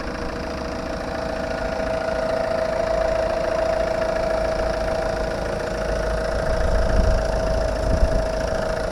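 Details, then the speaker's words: Ford Mondeo Titanium diesel at idle, bonnet open. Steady, even diesel clatter with a faint constant whine and no knocks; the engine sounds healthy. "tak słyszycie klekocze silniczek ładnie"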